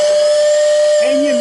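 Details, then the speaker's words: Lionel pre-war 48W whistling station on 12 V: steady mid-pitch whistle with a faint buzzing rattle underneath competing with it; rattle from dirty motor brushes and commutator. "right now you got a little bit of rattle in there that's no big deal"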